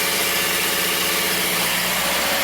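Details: Subaru with a manual transmission on its first start after new exhaust valves, fresh oil and an OEM filter: steady, even idle with a soft hum under hiss, some smoke, and a possible heat shield rattle; normal idle.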